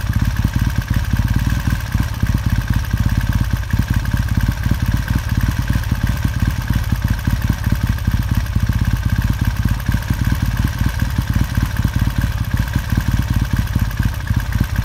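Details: 1969 Triumph T100C after rebuild, started cold on one kick: steady, even pulsing idle with a regular beat, no misses or knocks; twin running sweet, normal healthy idle.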